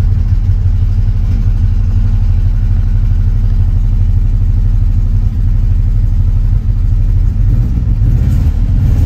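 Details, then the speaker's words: 1967 Austin Mini Cooper S first started after about eight years sitting: lumpy, uneven low idle with irregular exhaust beat; rough running, expected to clear up. "doesn't sound the best but at least it's running it'll probably take a while for the engine to clear up"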